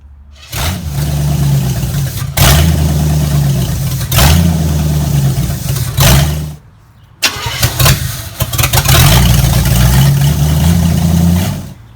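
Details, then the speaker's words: Engine with a freshly installed Street Avenger carburetor and distributor converted to vacuum advance; several cranking bursts catch briefly and die. Hard starting; owner suspects float bowls still filling and leftover mineral spirits from carb cleaning. "so the carburetor is working i think it just needs uh the float bowls i think they're just filling up a little bit"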